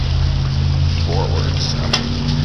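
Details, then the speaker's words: 1959 Kiekhaefer Mercury Mark 6A outboard, first start in three years on the same three-year-old fuel, choked and in neutral: a loud, steady two-stroke drone at even speed with no misses or surging, running smoothly. "yes goddamn sounds like she wants to run even on old gas"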